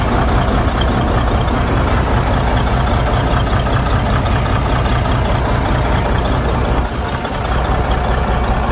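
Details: Detroit DD13/DD15/DD16 diesel idling with a faint regular knock, about two per second, under heavy rumble, plus heavy smoke and no check-engine light; faulty injectors overfueling the combustion chamber.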